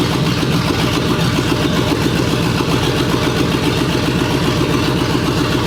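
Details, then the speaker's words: 1965 Ford Mustang, GT40 V8 after correcting backwards distributor/plug wires: steady even idle with regular lope about four pulses a second, no misses or knocks; normal idle. "the car is running great i did a little heat cycle while uh the camera was off it's running great it's idling perfect and starts up first try"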